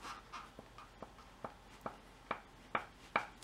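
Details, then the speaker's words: 2006 Infiniti M45 RWD, passenger-side front lower control arm rocked by hand: hollow clunks about twice a second, sharper each push; worn ball joint clunk, with the front bushing also torn. "here you can feel it and you can even hear it I don't know if you can hear it with this one"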